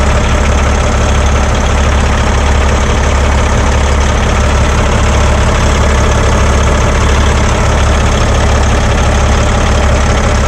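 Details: Paccar X15 diesel truck idling steadily with no throttle right after a fuel filter change. It fired on the first start and runs about ten minutes to purge leftover air while checked for leaks. Smooth, even low rumble, no knocks, misses or hunting: normal idle.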